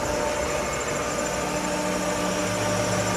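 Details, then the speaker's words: Pool pump while lowering water level before closing: steady hissing rush with gravelly, wavering whine over the motor hum, the pump losing prime and cavitating from too little water, air-locking, before it picks up again. "It looks good now, but that pump is going to catch more prime. You hear it kind of get waterfally in there."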